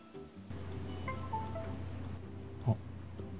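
A short rising chime plays over a steady low hum as the computer detects the newly connected hard disk.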